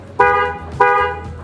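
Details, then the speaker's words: Newly installed waterproof Denso trumpet car horn mounted behind the front grille, heard from inside the car: two short honks half a second apart, each a clear bright steady tone that cuts off cleanly; healthy, strong horn. "Sekarang kita cek suaranya dari dalam mobil, gimana suaranya. Banget. Nah, itu kayak gitu ya suaranya"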